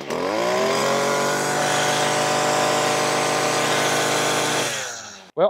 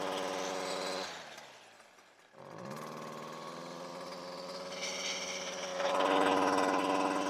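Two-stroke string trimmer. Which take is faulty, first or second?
second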